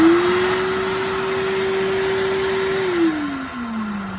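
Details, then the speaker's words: Advance ES400XLP carpet extractor (148081700), back vacuum motor checked for bearing damage: smooth, steady mid-pitched whine winding down evenly at switch-off, no grinding or rumble; bearings in good shape. Machine was in for a brush issue. "so right now I listen for bearing damage and this one's in good shape"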